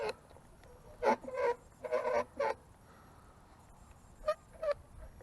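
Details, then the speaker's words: Soyee 1:10 scale 4WD RC truck driving over rough off-road ground; short squeaky honking bursts come and go, apparently the rear shocks screeching, possibly from water on them, not confirmed. "actually sounds like the shocks are screeching the rear shocks I don't know why they'd be screeching like that"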